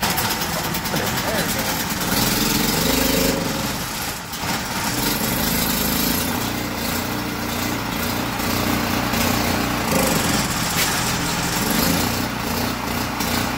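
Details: Generac GP1500 generator after cleaning its gummed-up Huayi carburetor (it sat with fuel, causing surging and no-start): a small single-cylinder engine drones steadily with one brief dip, running normally.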